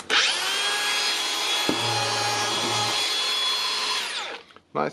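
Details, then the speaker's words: Makita DGA504/DGA506 angle grinder after replacing the broken gear housing; it had been jammed and would not turn by hand. The motor spins up to a steady high whine with even pitch and no grinding or rattle, then winds down smoothly; the fix works. "it works, so that's easy fix, simply for me and for the customer, money saver."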